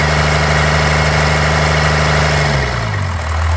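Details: 1993 Dodge D250 with 12-valve Cummins diesel idling with an uneven, loping beat and periodic stumble; misfire persists despite new injectors, lift pump, shutoff solenoid, adjusted valves, fuel-can test and 400 psi compression on all six; owner suspects injection pump.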